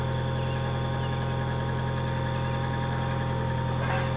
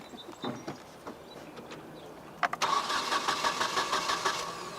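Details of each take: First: 1996 Nissan 2.4 after no-spark repair, running for scope capture: even, steady idle with smooth low drone and faint high whine, no stumbles; runs properly with spark restored. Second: 1996 Nissan 2.4 cranks with an even starter rhythm but never catches or fires. It is a no-start with no spark, diagnosed by checking coil control with a test light and scope.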